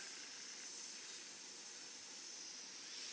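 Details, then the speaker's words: Trailer tire punctured by a screw, off the vehicle: a faint, steady high hiss of air escaping. The tire went flat about five or six days later. "you listen close you can hear it hissing I'm glad that this tyre didn't actually go flat until about six days after"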